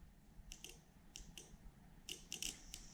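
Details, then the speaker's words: Link G4 Extreme ECU, coils and injectors unplugged, ignition switched on during setup; a few sharp light clicks from the small relay feeding ECU power: normal relay click. "This one has a little relay feeding power to the ECU, so it's a nice clean signal."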